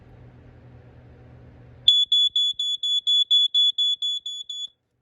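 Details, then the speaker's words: Jameson Code One CD-H1 smoke alarm, test button pressed: a shrill high beep pulses rapidly, about four times a second, steady and even, described as sounding like a basic 4.6; the alarm sounds as it should. "This one, of course, sounds exactly sort of like just your basic 4.6. Give it a test."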